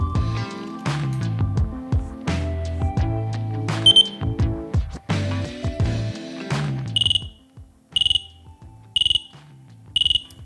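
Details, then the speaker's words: Dräger BG ProAir closed-circuit breathing apparatus (LDV version) residual pressure test: cylinder valve closed, bypass pressed carefully, low-pressure warning beeps sharply about once a second below 55 bar, working normally. "by very carefully pressing the bypass the warning should activate below 55 bar"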